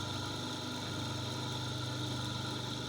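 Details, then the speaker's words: Homemade grinder/sander built from an old Soviet bench grinder, shaft now held by two opposed set screws, running unloaded: an even, constant-pitch motor hum with no knocking or wobble; far quieter than before. "Ну сравнение вообще никакого с тем что было"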